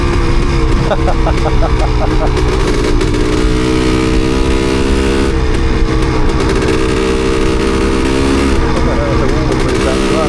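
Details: Suzuki DT250MX two-stroke trail bike at steady road speed runs rough and uneven, beat stumbling now and then, misfiring; owner suspects water got on the spark plug.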